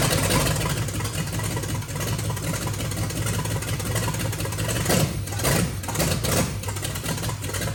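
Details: 1990 Chevy 454 SS truck, rebuilt big-block V8, first start after an ignition fix (it had been backfiring flame out of the carburetor): deep, steady V8 rumble with no popping; engine running normally.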